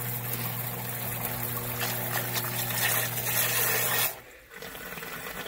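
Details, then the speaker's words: Zoeller M98 main and backup sump pumps in a below-sea-level crawl space, after replumbing to a single shared check valve to cure an earlier loud roar: a steady hum with water rushing, no rattle, then a clean shut-off; running normally. "much much nicer the way it's supposed to be way it's supposed to be built like that"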